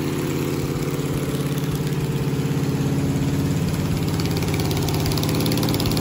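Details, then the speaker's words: 1969 Camaro 396 big-block Chevy after new cam and lifters replaced a badly worn lobe behind a weak number 7 cylinder misfire: steady even V8 idle, smooth low pulse, quiet valvetrain, no misfire. "so now i'm just going to go back together with it new cam new lifters and i'm sure it'll run a lot better this time so"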